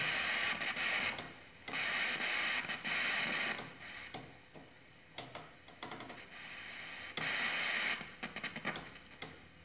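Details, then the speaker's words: 1948 Sentinel 400TV portable tube TV during repair, with only 180 V B+ from the main filter capacitor where 250 V is needed at the oscillator plate: hissy static bursts with faint audio from the speaker, so the tuner works somewhat; filter capacitors to be replaced next. "hopefully that's a good sign at least the tuna seems to be working at least somewhat"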